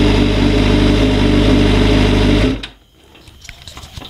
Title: 2004 GSXR 600 engine knocking.